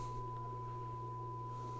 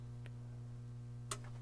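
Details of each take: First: Pioneer SX-1280 receiver, test tone on auxiliary, right channel, switches wiggled: tone over mains hum drops out with scratchy crackles; both tape monitor switches dirty, controls need cleaning. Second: Pioneer SX-1280 receiver powered up through a 300 W current-limiting bulb: low mains hum, then two sharp clicks about a second apart as the speaker protection relays engage normally.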